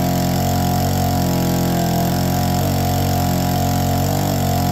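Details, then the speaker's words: APC mini chopper, small two-stroke, started using the primer (no choke) on a questionable battery: a steady buzzy idle holding a constant note with no stumbles or surging, running cleanly. Normal idle. "lives and idles it's official we could totally ride this in the snow it'd be super safe as well"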